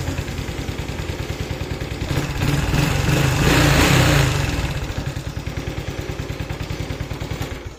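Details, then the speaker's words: Honda Wave 110i that was hard to start, with stumbling acceleration and unstable idle, after MAP sensor replacement: idles steadily, revs up smoothly on a throttle blip and settles back, with normal idle and strong throttle response. "รู้สึกว่าบิดติดมือขึ้นเยอะนะครับแล้วก็พวกสโลว์อะไรนี่ก็ปกตินะครับ"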